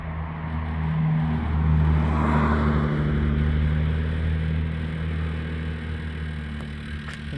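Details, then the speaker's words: 2003 BMW X5 with a door opened, traffic noise in the background: air suspension pump chugs with a steady low drone while the body slowly rises, creaking a little. "you open a door and I don't know if this will pick it up but there's the sound of the air pump sort of chugging away there and as you can see I'll see if I can hold it steady it is slowly coming"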